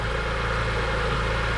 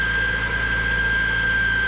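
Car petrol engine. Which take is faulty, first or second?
second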